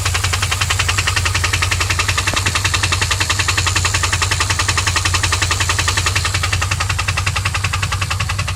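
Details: 2001 Pontiac WS6, LS1 5.7L V8 at steady idle with a crisp, even tick about 160 per minute over the rumble. It started ticking only at high rpm two days earlier, then oil pressure dropped from about 30 to 0 when shifting. The engine was found with zero oil and refilled, and now ticks persistently like valvetrain.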